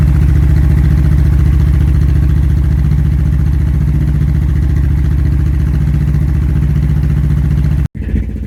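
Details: Royal Enfield Classic 350 Reborn with a 410 big bore kit and 16-tooth rear sprocket, second startup after the exhaust was remounted to cure a header leak: even, steady idle thump with no ticking or puffing; runs healthy.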